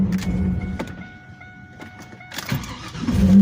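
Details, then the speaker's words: Pontiac Trans Am starting on its own battery without jumper cables after a new alternator was fitted (power steering fluid had killed the old alternator, battery died); chime, short crank, catches quickly and settles into a steady idle, normal start. "Oh yeah. Looking just a little bit better than before."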